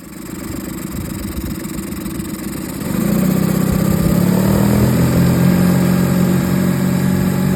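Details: 2013 Suzuki DF20A fuel-injected four-stroke outboard, about 1000 hours, first run after replacing an engine block damaged by running on low oil: it catches about three seconds in and settles into a smooth, even hum with no knocks. Running fine.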